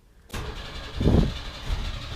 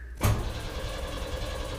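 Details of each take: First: 1991 Chevy S10 Tahoe after a starter replacement: new starter cranks steadily for several seconds with low pulsing, but the engine never catches; a fuel pressure problem was found. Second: 1991 Chevy S10 Tahoe with new correct starter, coil wire disconnected: sharp click then even, steady cranking whir, no grinding or thumping, after a wrong-housing starter was replaced.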